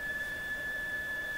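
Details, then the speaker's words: Mohawk Serenader farm radio with the signal generator connected at about 10 microvolts, tuned near 1 MHz; steady high-pitched whistle over soft hiss, squeals all over the dial, cause not yet found; oscillation squeal. "It's connected. Now there's squeals coming out all over the place."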